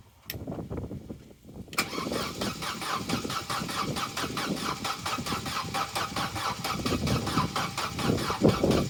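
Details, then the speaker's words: Opel Corsa B, sat neglected 4-5 years, battery at 12.4 V: the starter cranks unevenly with one slow heave then three quick ones, about four per second, spinning faster than before but never firing. Owner suspects three cylinders lacked full compression because the spark plugs weren't in right. "now that's interesting cuz that sounds a little better it's still doing that thing of sort of being slow and then doing the other three quickly but that does seem to be spinning faster"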